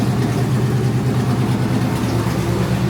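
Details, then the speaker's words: 1954 Chevy idling steady and even with no misses, knocks or stumbles, just after a no-start traced to an unplugged distributor was fixed and fuel pumps primed. Normal healthy idle. "so we're going to go try this again and cycle and go oh yeah baby fired right up fired right"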